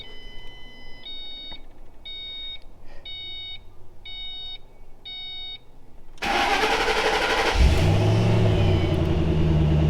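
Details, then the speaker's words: 2005 Mustang GT convertible after fuel pump replacement and fresh fuel, fixing a suspected fuel issue where it fired but would not run: chime beeps, brief crank, catches with a rev blip, settles to steady idle; normal start. "Oh yeah. Oh, Tim. Hey, she's running, buddy."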